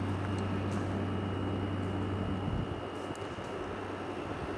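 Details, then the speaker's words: Arctic King air conditioner, after being reassembled and its fins power-washed, runs with an even low compressor hum and a faint steady whine, no knocks. It blows cold air and works normally. "You hear the compressor running. Wow, that's nice and cold. Works good."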